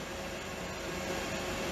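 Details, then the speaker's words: Wanptek EPS3210 32 V 10 A power supply, internal temperature reading 105°: a steady airy rush from the small fan spinning evenly with no rubbing; the heat-triggered cooling fan has just cycled on. "105° oh the poor little thing the fan just cycled again so it Cycles I would like to see it cycling"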